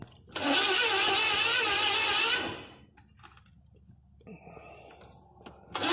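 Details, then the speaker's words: 1983 Chevy van, gas poured into the carburetor: two seconds of fast starter whirring that never catches; cranks but won't fire, owner suspects the electronic spark module in the distributor. "we can get no fire I'll distributor and I thought it might be the electronic spark throw"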